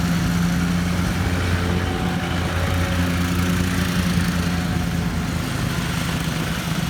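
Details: 2013 Walker T23 mower, revived after years sitting rusting in a paddock: steady, even engine note holding constant speed under mowing load with no knocks, ticks or surging. Normal running.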